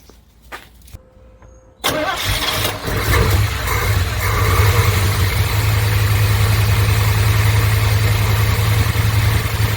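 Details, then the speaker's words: 1988 Chevy K2500 pickup, long sitting, converted from fuel injection to carburetor; after cranking and catching, idle stays rough and stumbling, missing on one or more cylinders, heavy fuel smell; owner suspects contaminants sucked into fuel system, not confirmed. "no pretty rough see the fuel or spark okay so what I think is going on with that weird running"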